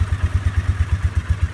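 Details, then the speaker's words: 2003 Polaris Sportsman, after five minutes warming on a 12-degree morning, choke just taken off: low even thumping, steady idle with no stumbling; idles down fine, still a little cold. "Let's see if it'll run without the choke. See if it idles. Ooh. Yeah, idles right down."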